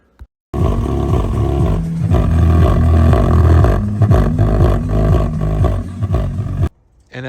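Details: 2014 Mazda CX-5 OEM Bose front door speakers: loud bass comes through as a flapping, buzzing roar that rattles on every beat, from the speaker cone separating from the speaker frame.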